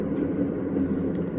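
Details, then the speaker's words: Whirlpool Cabrio washer WTW8500BW0 in diagnostic mode on high-speed spin: a steady low roar like a jet plane, a sure sign of worn tub bearings needing replacement. "Now when we put it on spin, we can hear it sounds like a jet, like an airplane, and that's a very sure indication that this washer needs a bearing."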